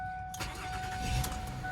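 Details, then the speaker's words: Ford Fusion just bought from auction. A short crank catches at once into a quiet, even idle with no knocks, rattles or hesitation: a healthy, normal engine start. "Start it up. Yes, you guys can look. You can't even hear nothing. It starts up real good."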